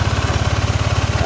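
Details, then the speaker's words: First-generation Yamaha NMAX with an ISC sensor: a fast, steady single-cylinder putter well above normal idle with no throttle input, and the scooter creeps forward when stopped. High idle. "Kita berhenti di lampu merah atau enggak pas posisi keadaan macet, ini motor nyelonong terus maju sendiri karena gasnya tinggi ya."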